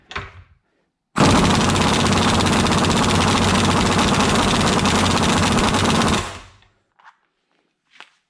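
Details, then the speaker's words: Ingersoll Rand 2135 air impact wrench spinning a Mastercraft drill impact adapter: rapid, even hammering under steady air hiss as it turns and tries to tighten the bolt; must hammer to keep up with torque, giving no extra power. "So again, this starts hammering. This is trying, so you can see it's turning and actually trying to tighten the bolt."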